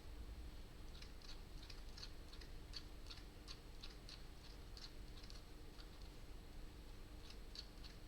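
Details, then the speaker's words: Motor of a Vector during an upgrade. A faint, irregular high-pitched ticking over a quiet steady hum; something catches inside and the owner calls it unwanted, cause unclear. "I don't know about you. That is not a noise I want my motor to make."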